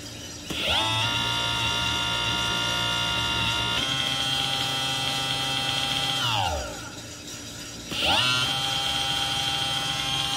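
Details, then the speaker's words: Electric motor on a Tomos moped electric conversion, tested at full speed: high motor whine climbs, holds, drops, then spins up again with faint clicking on top; owner unsure whether it is controller self-learn or progressive throttle. "at some weird noises a little clicking i don't know if it's learning or not"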